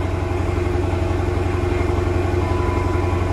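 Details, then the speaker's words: 2013 Dodge Challenger 6.4L V8 with a consistent misfire at idle: deep idle with a faint regular uneven pulse about twice a second, felt as a single-cylinder miss; scan tool shows cylinder three misfire. "And they're saying it's got a pretty consistent misfire at idle. Oh God. Feels like a single cylinder miss."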